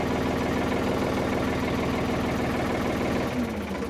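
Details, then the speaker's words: 1970s Ford 555 backhoe with rebuilt diesel engine, converted to a loader, on its first drive without the backhoe: a low steady diesel throb at idle with evenly spaced pulses about three a second and no odd knocks; normal idle. "All right, listen to her. She sounds so good."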